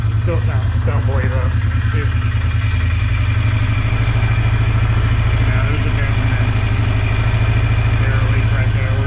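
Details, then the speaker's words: 2005 Polaris Trail Boss 330, not run in years, carb bowl cleaned and contact cleaner sprayed in intake: uneven single-cylinder idle with stumbles. Stumbling idle; fuel delivery issue suspected at fuel pump or petcock, unconfirmed. "if it starts right up then we'll know immediately it's a fuel delivery issue and since our carburetor we know is good then it has to be either the fuel pump or something with the pet coock uh restricting fuel"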